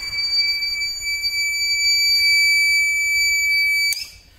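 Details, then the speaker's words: TBE 2000 W pure sine inverter (4000 W surge) on a 200 Ah battery, alarm going off when a load is plugged in: a steady high-pitched continuous beep for about four seconds, then stops; inverter overload alarm. "let's try that again the alarm went off just plug beam and now that's right see"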